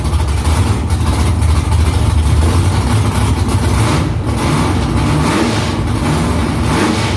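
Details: V8 with newly installed headers and exhaust refitted under the car, first start after about three weeks of work. Deep, loud burble with a few throttle blips, even, no misfires or ticking. Louder in-cabin with exhaust vibration under the seat. Smoke is drying header silicone.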